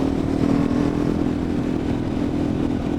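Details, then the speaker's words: KTM motorcycle on a cool evening ride: a steady, reedy, harmonica-like buzz over wind and road rumble that persists with the engine off and is independent of throttle. Owner suspects the rear wheel. "it seems to be persistent even when the engine is not running which is a good sign I guess cuz it's not engine I think it might be the the rear wheel I something plastic or metal is vibrating very fast it's making that weird kind of like a harmonica"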